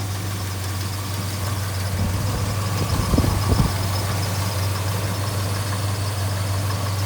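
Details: Restored 1969 Dodge Charger RT/SE with totally stock exhaust: a deep, steady low rumble with an even, slightly lumpy beat and no knocks or ticks, a healthy V8 idling smoothly.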